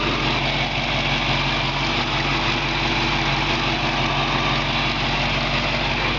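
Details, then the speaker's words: 1970 Mustang Fastback V8 idling steadily, hood up, with a raspy, puffing edge from an exhaust leak; engine otherwise runs great. "you can hear the engine just runs great but it does have that exhaust leak and that of course sounds you know like crap"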